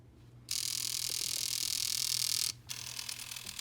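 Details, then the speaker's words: Nintendo Wii RVL-001: disc drive makes a loud hissing whir with rapid clicks, about four a second, with no disc inserted and rejects discs; damaged spindle and gears, drive replaced with new one. "you can hear it's making that horrible clicking sound even without a disk and with a disc you can see it's trying and then it just rejects it"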